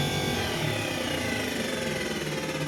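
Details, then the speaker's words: Indesit tumble dryer running with no error message: harsh, rough scraping drone instead of a smooth whir. Owner first suspected something stuck in the fan wheel; the cause was a shredded drive belt caught in the fan wheel. "das hört sich auf jeden fall nicht gut an so darf sich ein trockner net anhören ja was ich vermute dass da irgendwas in einem lüfterrad steckt und dass er irgendwas kaputt ist"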